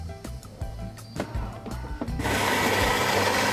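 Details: Philips 2200 Series LatteGo automatic coffee machine with LatteGo milk system fitted, making a full-size milk drink: a few pump clicks and rattles, then a steady even hiss of frothing air and steam; working normally.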